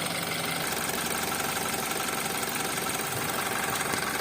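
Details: BMW X3 F25 N20B20 engine about 100 seconds after a start: light, fairly regular tapping knock about three a second over a busy idle; cause not yet clear.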